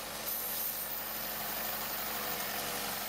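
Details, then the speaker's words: Chevy Sonic, GM Ecotec 1.4L turbo, idling with codes P0106 and P1101: a loud, steady, airy vacuum-cleaner hiss under the hood from a failed PCV valve; the fix is a new cover. "hear exchanges engine definitely not normal for this little sonic you hear it right there so if you're hearing that you got the codes that's your crop"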